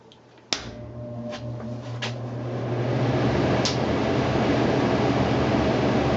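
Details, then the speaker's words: Furnace blower after repair, motor ruled out and blower wheel re-centered and bolted tight on the drive shaft: click, then smooth even airflow hum with no rattle or scraping, quietest in years; normal blower operation. "oh yeah hasn't been that quiet in years so this is a success"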